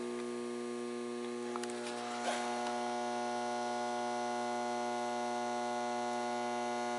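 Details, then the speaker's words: Mercury vapor yard light after swapping capacitors closer to proper value: steady loud mains hum with buzzy edge persists; the ballast transformer itself is faulty and humming, not the capacitor. "there is definitely hands down 100% something wrong with that Transformer so I guess we figured it out the ballast in this fixture also makes a lot of reverberating humming noise"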